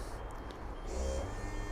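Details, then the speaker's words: E&P Level C hydraulic levelling, about 13-14 months old, on a 2020 Bailey Alicanto Grande Porto twin-axle caravan, auto levelling with front jacks extending to lift the van. Steady low pump hum with short high warning beeps; normal operation. "now the front studies are going down you see that lifting the van"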